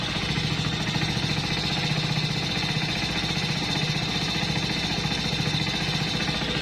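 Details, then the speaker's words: Hero Splendor+ BS6 motorcycle, cold morning idle heard at the silencer: even regular put-put firing, no knocking, slight smoke; owner says this is normal in the morning, no engine problem. "यह होता ही है सुबह बले का time है यह कोई normal चीज है इसमें कोई दिक्कत वाली बात नहीं है"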